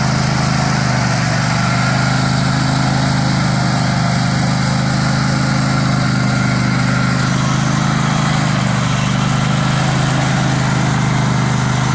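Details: Struck Magnatrac MT2000 with a newly fitted Predator 670 22 hp twin-cylinder engine, first start: loud, steady V-twin drone with an even low beat throughout, no knocks or misses; engine running healthy.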